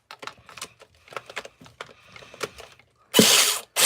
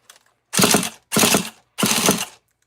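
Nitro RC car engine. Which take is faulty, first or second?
first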